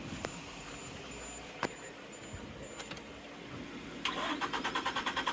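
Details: 1996 Suzuki Every van with a weak battery, jump-started from another truck, with starting fluid; fuel pump heard priming: after a few clicks the starter churns in quick even pulses about three per second, but the engine never catches.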